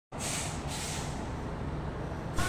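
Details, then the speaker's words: Air-conditioning unit blower running: steady rushing airflow over heavy low rumble; vibration attributed to a missing mounting bolt/screws and minimal dust in the blower. "so the problem is there is a vibration and a blower while in its running condition so as I can see there is a low there is a low dust or minimal dust in blower that causes of vibration also the bolt is not inserted"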